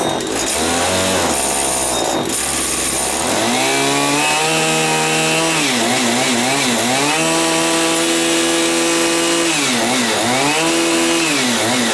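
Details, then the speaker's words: Stihl FS80 trimmer two-stroke, just reassembled after engine inspection, primed, choke on, throttle locked: fires right up, crisp buzz settling to steady high idle, rising and falling evenly; runs clean and healthy, cold. "I think that all working good see what happens fired right up huh"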